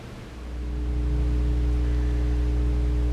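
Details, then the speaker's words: 1963 transition-model Deluxe tube amp, seemingly untouched with original transformers and oozing original caps, brought up current-limited on a variac: steady low hum in the front end that swells as it warms, from one leaky front-end filter cap. "got a good bit of hum in the front end you can hear that's that one leaky filter cap for the front end"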